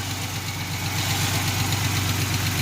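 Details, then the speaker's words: 1987 Chevrolet Celebrity Eurosport 2.8 V6, 237k miles, at idle around 40–50°F after rain: a light, quick tick on every firing beat, tracking engine speed; a new lifter tick. "Got a little bit of lifter tick. That's new."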